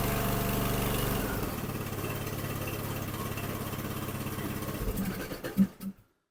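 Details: Snapper 150Z zero-turn mower, 21 hp engine that cranks but won't start alone, after carburetor cleaner sprayed in the intake: fires and chugs about three and a half beats a second, then fades, stumbles and stops within six seconds; fuel starvation.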